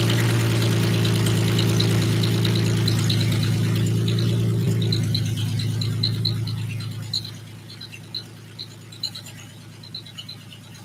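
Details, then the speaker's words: Porsche 914 with a swapped Honda J-series engine, first fire: a sharp, light ticking about four per second over a loud idle, continuing as the engine dies; oil pressure present, owner hears a quick clack or tap, cause unknown. "well it fires i didn't like the sound i was making enough i heard a little quickie clack i don't like to quickly clank but it fires so that's good"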